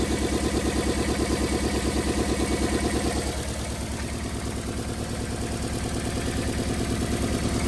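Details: 1990 Toyota Corolla LE sedan, 4A-FE engine at idle: uneven, lumpy beat about three times a second, a steady stumble from one cylinder; misfire from a blown head gasket.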